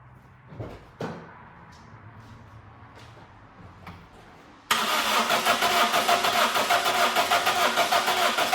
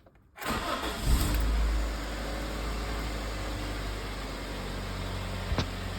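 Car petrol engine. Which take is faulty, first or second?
first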